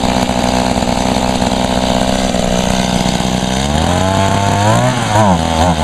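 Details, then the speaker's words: Small two-stroke unit, first start in about a year and little used; two-stroke drones then revs sag and surge unevenly; boggy, owner attributes it to nearly empty tank, also wonders about a clogged spark arrestor screen. "she's kind of running she ain't running out that well it almost it's acting like it's going to run out of gas yeah she's very boggy though it's just because it's not much"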